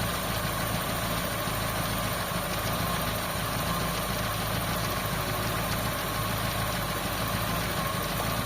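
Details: Toyota GLi with 4A-FE engine (brought in for low power, stalling, bucking in 3rd gear, hard starting, high idle) during fan check: steady, even idle, smooth hum, no knocks, misses or surges; normal idle.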